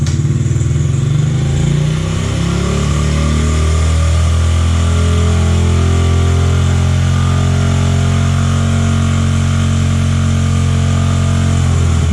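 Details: Honda XR50 (CRF50F) small single-cylinder bike after throttle cable adjustment: settles into a steady, even idle with a deep low thrum, no hunting or surging; runs healthy.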